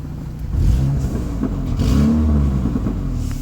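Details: 2005 Saturn Ion with a bad flex pipe: low uneven rumble with irregular puffs and pops as the engine revs, the exhaust sputtering in a backfire-like way.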